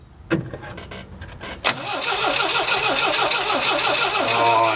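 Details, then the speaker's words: Carbureted engine: starter churns steadily at about three turns a second but the engine never fires; crank, no start from no fuel delivery. "all right we got a little Spark It's kind of weak but I dribbled a little gas in the carburetor ain't got it to hit"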